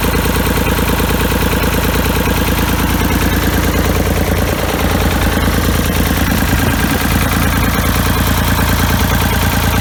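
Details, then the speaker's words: Ford 3000 tractor diesel after freeing rusted Simms injection pump plungers, cleaning and testing the injectors and bleeding the lines: steady, even clatter at idle, about two beats a second with no misses; runs well; normal diesel idle. "so let's see if we can uh get the fire up now look at that sounds like it's running pretty good"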